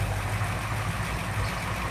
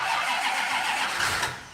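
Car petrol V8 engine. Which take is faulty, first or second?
second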